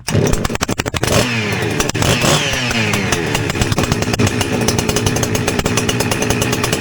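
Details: Husqvarna 359 two-stroke chainsaw after inlet boot replacement (previously pulling air, running lean), open muffler with enlarged 17 mm outlet, high jet richened: pull-start catches, revs up and down with crisp rasping note, settles evenly; running healthy.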